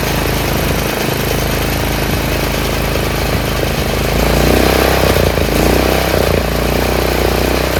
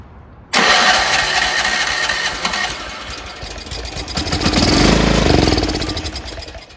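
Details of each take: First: Troy-Bilt 30-inch rear engine rider after carburetor rebuild: small single keeps a steady, even putter, no stumbling or surging, slightly low idle; clogged main jet was the fault, not the gas. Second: Troy-Bilt 30-inch rear engine rider running on oil-gas mix, off choke after carb cleaner spray: fires, surges briefly, then fades toward stalling; not getting fuel.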